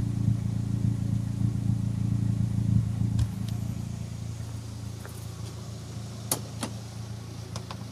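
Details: Turbocharged engine fitted with larger SR20 injectors a few years ago: warm idle broken by a few sharp, irregular exhaust pops; random warm-idle misfire, owner suspects the injectors, not confirmed.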